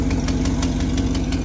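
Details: 1978 Chevrolet K30 V8 started after sitting 24 years: steady idle with sharp regular puffing ticks about six a second; exhaust leak.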